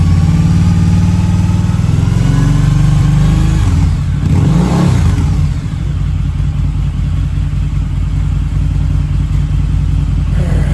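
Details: Harley-Davidson V-Rod, about 16,000 miles, first start in at least four years with fresh fuel and new battery, warm, smoke almost gone: brief rev, then an even loping idle with no rattle or missed beats; healthy.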